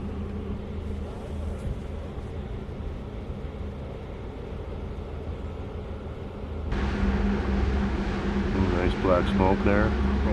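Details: 1968 Yamaha 180 two-stroke motorcycle after cleaning the barrels, compression 90 on both sides (up from 40): steady, even burble holding a constant pace, then louder as it revs; runs cleanly, no knocks or misses.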